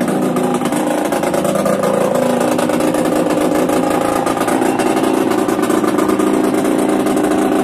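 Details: Yamaha DTR 125 two-stroke, engine from a 2007 electric-start bike, first start after new unrestricted Gilera SC CDI, new seals, powervalve fully open, 240 main jet, Big One exhaust; crisp idle picking up cleanly on throttle, even firing, no bogging, normal running.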